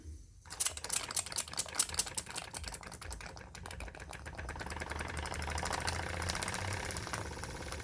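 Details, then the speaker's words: Jensen #5 toy steam engine after truing the cylinder flush against the steam chest to stop steam blowby: quick light puffs settle into smooth, even chuff that speeds up steadily, no escaping steam hiss; now steam tight and running well. "So now it's good and steam tight. really runs a treat."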